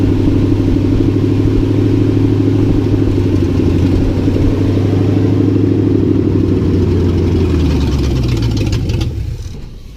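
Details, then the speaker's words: 1963 Ford F-100 short bed started after wiring repair, with an ignition fault still to sort out: runs steady and even at idle with no misses or knocks, then winds down smoothly at shutoff; good oil pressure, the engine seems fine. "But it did have, I noticed it had some good oil pressure, so I think we're fine."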